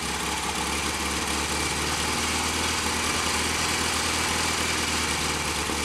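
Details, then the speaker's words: Royal Enfield Constellation twin, cold start after standing over the weekend, fast idle at full advance: busy, uneven firing with popping as one carburettor spits back. "I might turn the mixture screw in a little bit on the one we're spitting back a little bit below the edge of this Co yeah I didn't expect it to tick over"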